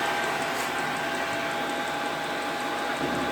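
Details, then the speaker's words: Replacement diesel heater on first test, running straight out of the box and pumping lots of hot air through all four outlets; steady fan rush with soft regular fuel-pump ticking about four a second; normal running. "that is pumping out loads and loads and loads of lovely hot air and what's more this thing worked right out of the box just like the last one"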